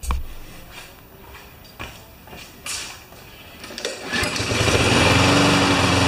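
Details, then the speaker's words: Honda mower started after its rewind spring was refitted: it catches at about four seconds and settles into a steady, fast, even run on its automatic choke, which takes about 30 seconds to come off; sounds healthy. "mine house the same crazy hwak cheol pin that expands up and it takes about 30 seconds or so to for the choke to come off to drags me crazy"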